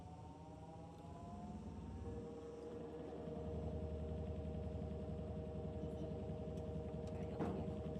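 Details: Whirlpool/Maytag top-load washer test run after replacing the worn tub/drive hub (stripped splines) with a new greased hub; steady low motor hum with soft even agitation, no grinding or knocking, running normally.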